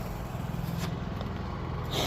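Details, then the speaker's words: Honda EU3000iS inverter generator after replacement carburetor fixed stalling when throttle pushed in (old carb starved of fuel): quiet steady low hum, even beat, no surging or dying; normal running. "But now that it's uh got a brand new carb on there, it's it's good to go. And you can barely hear it."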